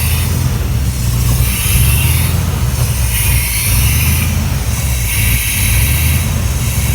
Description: 87 Chevy Silverado k10 350 reving up and down gain power loss power... but why???